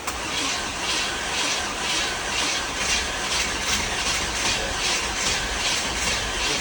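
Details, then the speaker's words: 1967 Impala 396 V8 project car, old gas tank replaced: uneven pulsing, two or three a second, trying to catch but never settling; kind of runs but doesn't, hard start. "it's it's thinking about it it kind of runs but it kind of doesn't I was actually surprised it did as good as it did knowing what we found in our Adventures"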